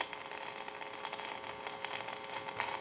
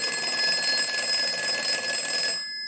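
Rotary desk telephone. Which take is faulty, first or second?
first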